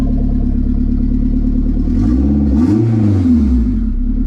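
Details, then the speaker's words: K20 turbo Civic wagon on a startup base map: steady even idle then a quick clean rev that climbs and falls smoothly without stumbling; after first choppy start it now idles on its own and revs cleanly. "now every time I turn it on it idle on its own and it revs through perfe"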